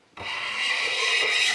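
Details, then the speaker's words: Hand plane in a Stanley Handyman vs Amazon Basics comparison, taking a cut: harsh high rasp each stroke instead of a clean shaving hiss; blade vibrating and chattering. "i don't know if you can hear that noise but that's essentially vibration of the blade"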